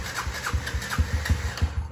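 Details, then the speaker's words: 2019 Yamaha TTR 50, completely cold engine, choke off: uneven putts catch briefly after start, stumble and die within two seconds; lean stall, runs only on choke until warm. "just way too lean, not enough fuel."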